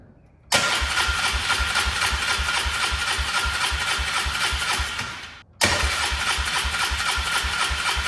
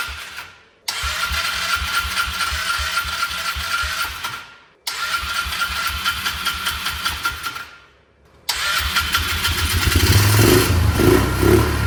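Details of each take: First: Polaris Trail Boss 325 four-stroke 2WD ATV parked for 12 years: two bursts of steady cranking at about four turns per second that never catch. At first no fuel flowed from the fuel line, and the carburetor is suspected clogged and not yet cleaned. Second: 2004 Polaris Trail Boss 325 four-stroke ATV parked 12 years, after turning the carb mixture screw about two turns out: two short cranking bursts, catches on the third, settles into steady single-cylinder thump; starts and idles normally.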